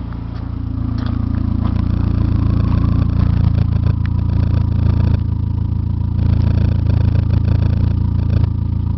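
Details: Saab 9-5 with B235R petrol engine revving, heavy steady knocking that quickens with revs, knocking like mad over 1500 RPM.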